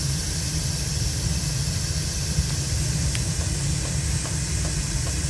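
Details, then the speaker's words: Crane 100 series gas boiler, nearly 50 years old, Honeywell L8148G control, run without electricity; burner panel off, standing pilot always lit; relay closed by hand and the main burners give a deep, even, steady roar with no popping or flutter: normal burner operation. "so right there is the pilot light burner which always stays running I will manually close the relay and we'll see the burners light up"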